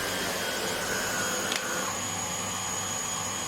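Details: Hoover HL500PT vacuum, ex-display unit repaired without new parts, after fix on higher power setting picking up bread crumbs: steady high motor whir with even airflow hiss, no rattles or surging; running normally.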